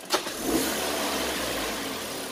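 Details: 2013 Kia Sportage with an ignition misfire complaint, tested with a KTS 590 scan tool after swapping the ignition coil. The engine catches and settles into a smooth, steady run with no stumbles or misfires: normal running.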